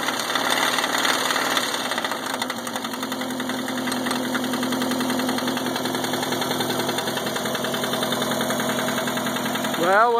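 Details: Subaru EA81 running smooth with no missing and good gauge oil pressure: quick, uneven rattling knock, about two or three a second, over a smooth idle; loud knock, cause not found.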